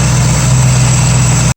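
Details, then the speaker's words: 1965 Mustang engine hot at idle, about 190-205°F, after fitting aluminum radiator and electric fan replacing mechanical fan; smooth steady quiet hum, no ticking or fan roar, oil pressure 20 psi at idle; much quieter, runs well. "Oil pressure's good, 20 pounds at idle. Sounds much better without that fan, much quieter."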